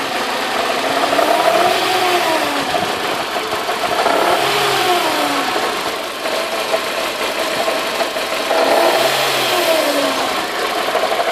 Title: W202 c180 timing chain noise